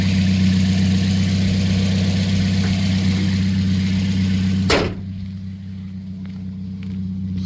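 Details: 2010 Toyota Yaris, 1.5 L four-cylinder, manual, about 114,000 miles, recorded at the rear with the muffler cut out: deep, loud, steady idle drone with an even pulse. Loud exhaust without muffler.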